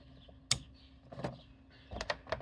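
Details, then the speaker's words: Automotive fuel pump relay bench tested with a 12 V Milwaukee M12 battery across coil pins 85 and 86: sharp, crisp click as the coil energizes, with a few smaller taps; relay switching normally. "and this is just a coil so you don't need to worry about polarity it'll work in either direction and when we turn the battery switch on you'll hear a click"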